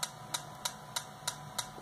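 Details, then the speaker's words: Yaesu FT-891 radio with CAT baud rate raised to 19200: crisp high-pitched clicks about three per second in receiver audio, higher pitch but same repetition rate as computer polling; unchanged across frequencies. "okay you'll hear that the rate changes it's now much higher frequency because the baud rate is higher but it still occurs at the same rep rate which is the computer interrogating for commands"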